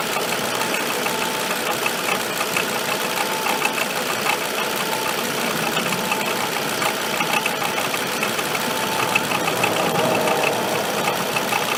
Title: Avec bruit moteur